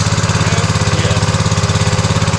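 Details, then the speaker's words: New Honda GX200 196cc engine replacing leaking-carburetor Kohler on 27-ton log splitter, first start, choke on, throttle mid: steady even chuffing about twelve pulses a second, no misses or surging; clean idle. "Let's see if it starts. Oh, I love a Honda. Look at that. Yes."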